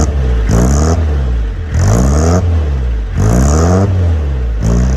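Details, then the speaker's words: Peugeot J9 van, 40 years old, cold start after sitting, with a new homemade stainless exhaust and silencer: repeated blips give a deep rasp climbing and dropping back, not too loud, no rattles or blowing; normal healthy exhaust note. "Got a nice little rasp there. It's not too loud. I think that sounds quite nice."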